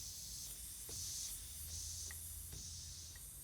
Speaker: right away were you doing it we're not pulling enough vacuum can you hear that vacuum leak there it is right there